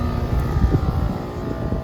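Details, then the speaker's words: Trane XR17 4-ton condenser (built July 2014) with TAM7 air handler, 63°F outside, power restored; steady low hum of compressor and fan, EXV and refrigerant flow audible, blower on. Condenser running normally. "let's turn the power back on and i can hear the condenser already yep and there's the exv and you hear the refrigerant flowing and our blowers on"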